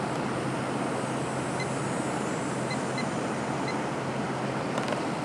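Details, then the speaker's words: 1989 Carrier 6200 BTU International Series window air conditioner with rotary compressor, likely Toshiba, on high fan: even rushing airflow over low steady hum, no rattles or squeals, amperage within spec, blowing ice cold; working normally. "So, it seems to be working exactly the way it should."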